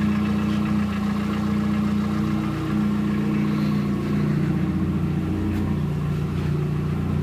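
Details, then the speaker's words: VW Gol 1.0 8v, 120k on odometer, 20W50 mineral oil, nearly fully warm idle: uneven clack about three or four per second, disappears on throttle; owner suspects piston pin/skirt, possible past overheating, unconfirmed; irregular clacking at idle. "Parece tem algo solto dentro, sambando dentro do motor. Provavelmente chuto eu aí que é pino de pistão aí que tá batendo."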